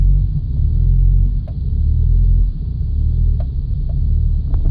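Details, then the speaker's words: 2000 Subaru Legacy with high mileage, driving at steady throttle: deep drone swells and sags as revs jump and fall, labored and uneven with occasional sharp pops; engine hesitation, cause unknown. "You can hear that labored sound right there. Listen, and it's fluctuating. It's popping."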